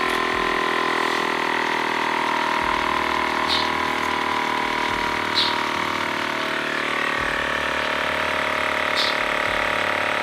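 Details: TACKLIFE M1 tire inflator pumping a bike tire to a 60 psi target, hose chuck screwed onto the valve: steady even buzz at constant pitch with no hiss of escaping air; compressor running normally with the chuck sealed.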